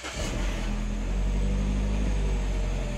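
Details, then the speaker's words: 2009 Mini Cooper 1.6 L four-cylinder, freshly started, idles roughly with shaking, sputtering misfires across all four cylinders; check engine light on, smoke and black soot from the tailpipe, sometimes stalls. "we'll let the idle come down i can tell you right now it's definitely running rough i can feel the engine shaking vibrating"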